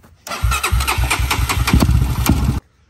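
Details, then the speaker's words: Honda TRX400EX ATV single-cylinder: fires and runs a couple of seconds with sharp chuffing pops each firing stroke, exhaust seen shooting out at the cylinder head; head gasket leak. "It was shooting out. Yeah. It was shooting out. Get a video. I saw exhaust shooting out, dude."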